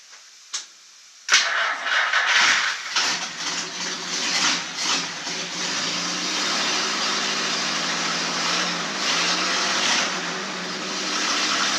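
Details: 1949 Chrysler that sat 60 years, after a starter solenoid repair and with gas splashed in: the starter cranks briefly, then the engine catches and runs steady and even with no knocks or grinding.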